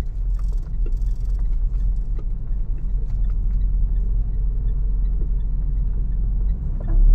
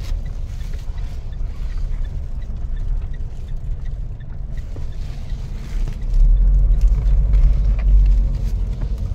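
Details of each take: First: Mitsubishi Montero with noise from the rear when the suspension moves: light irregular ticks over a deep rumble, like tapping or drumming, from the rear coil spring end clicking on its seat; the planned fix is a coil spring insulator. Sway bar ruled out. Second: Mitsubishi Montero driven over bumpy, rough road after fitting insulators to the rear coil springs to cure rear knocking and creaking: steady low road rumble with no clunks or knocks from the rear suspension.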